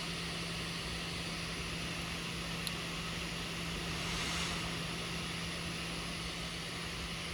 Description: The fans (usually the one under the left side of the keyboard) keeps speeding up and slowing down every one to three seconds. I am not sure what the clicking sound is but if I were to guess, it is likely due to the expansion of the metal heat dissipation pipes and vents.